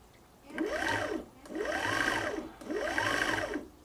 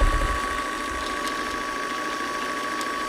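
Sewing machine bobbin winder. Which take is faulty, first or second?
second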